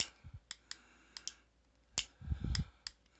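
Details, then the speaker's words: Owner's other, unrepaired Heritage Rough Rider revolver for comparison: crisp, evenly spaced clicks as hammer is drawn back through each notch, catching cleanly and rebounding to second click with no hang-up; healthy action. "so here's the old heritage and you pull back you got your second click and this hammer will not hang up it wants to rebound to the second click"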